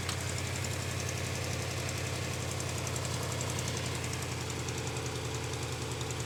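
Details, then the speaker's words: Subaru Impreza GC8 WRX EJ22 after coolant crossover pipe repair: new light, quick ticking over idle that rises with revs, then goes away; owner suspects an exhaust leak needing tightening, unconfirmed. "So I don't know if you guys could hear that, but that little ticking kind of went up a bit with the, my brain can't think, with the acceleration, but now it's gone."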